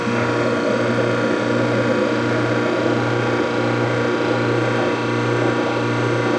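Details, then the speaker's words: Whirlpool direct-drive washer set to spin with lid switch bypassed: steady motor hum with rough ratcheting grind about once a second, basket not spinning while drain pump still runs; motor shaft spinning inside broken motor coupler. "it still spins the drain pump so if your washer is filled with water it will still drain it"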